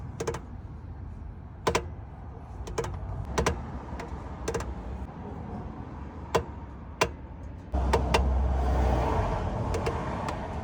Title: Clutch noise problem 2022 Suzuki Jimny